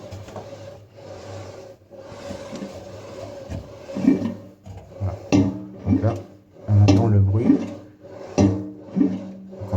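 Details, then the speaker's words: Samsung washing machine with a worn drive belt; rocking the drum by hand gives a dry rasping rub with each swing plus a low scrape, a suspect noise that could also come from an object fallen into the drum. "voilà donc ça c'est c'est le bruit suspect donc ce bruit là on peut l'avoir soit si on a une pièce ou une vis ou quelque chose qui qui qui est tombé dans dans le tambour directement soit parce que la Cour est à Ch après"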